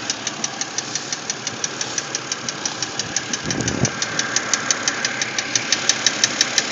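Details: BMW X3 engine noise: sharp, light, evenly spaced tick about three times a second over a quiet idle. Ticking noise at idle, source not yet pinned down.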